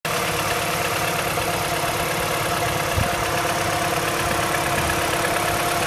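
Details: MINI N12 engine at cold idle: steady hum with a light, somewhat irregular ticking; owner unsure whether this is normal.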